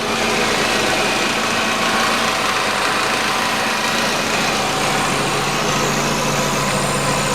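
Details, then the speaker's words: 2008 Nissan Qashqai, 2.0 petrol, CVT, 4WD, 123,000 km, idling: thin tinny buzzing rattle and faint whistle from under the car. Cause is a rotted-through, loose heat shield on the exhaust resonator near the catalytic converter. "появился сверчок под автомобилем включаешь пора включать кондиционер и он такой звук неприятный свистящий дребезжащий он-то проходит увеличивается но данный момент он тише"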